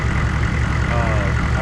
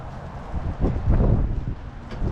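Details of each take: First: 1994 2500 diesel truck after a new fuel filter; glow plugs were allowed to cycle off and it fired immediately, starting better than ever before. Short stretch of steady diesel idle, even firing with no stumbling or surging. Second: 1994 2500 diesel truck after a fuel filter change: about four cranks per second for several seconds, then it catches into an uneven run. This is hard starting from air in the fuel system, later cured by cycling the key and cracking the fuel hose fitting until fuel sprayed.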